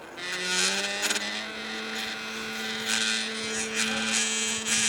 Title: Rhinu Buzz Noise -1